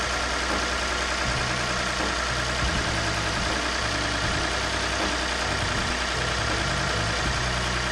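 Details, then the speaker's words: Lexus IS350 with bent radiator support, cold idle after coolant top-up and bleeding, cap back on, temperature gauge being watched: steady low drone with slight uneven tapping; normal idle. "I'm gonna let this idle for a bit I'm gonna check the temperature gauge and I'm gonna see if everything's working all proper"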